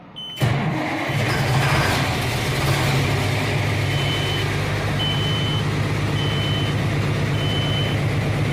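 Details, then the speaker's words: 1992 Kenworth T400 diesel truck, after sitting in a roughly 50°F shop, fires and settles to idle while the low-air buzzer pulses about once a second; the air tanks were empty from a leak at a loose tank plate. "so you hear the buzzer and see we got some Aaron in the front tank and a little bit area in the rear tank but it was empty"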